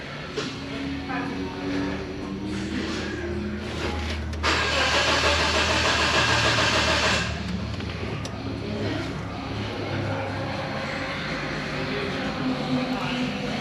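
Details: 1992 Geo Tracker off-road buggy with new coil: starter churns steadily about three turns a second but never catches; crank angle sensor shows only about 200 mV, suspected feed issue or faulty sensor; cranks, no start.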